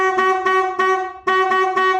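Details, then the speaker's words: 2007 Harley-Davidson Road King Custom that won't crank after winter on a battery tender: strong, steady horn blasts without fading show the battery is good, so the fault lies elsewhere (key fob suspected). "looks like the battery is good so i'm thinking that there's something else with it"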